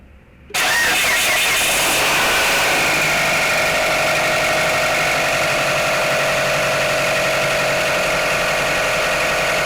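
Engine catches after a brief crank and settles into a fast cold idle with a light ticking knock over the run; cause unclear.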